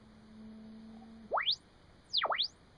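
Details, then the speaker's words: AN/ARC-5 receiver dial check, old signal generator set to 8.9 MHz with the BFO on: the whistle slides down to zero beat and rises again, landing right on the 8.9 dial mark, so calibration is good. "right now we've got the generator set for 8.9 or as close as I can get it with the uh with the old Generator and with the bfo on we'll listen for a zero"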